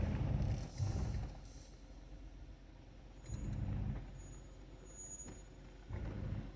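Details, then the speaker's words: Stock 2020 Jeep Wrangler Willys descending a rocky trail in low range: low, pulsing gentle hum in bursts as hill descent control works each brake individually to hold crawl speed — normal operation. "It's like a gentle hum. That's basically each one of the brakes working on its own to keep me at the speed that I want to be at."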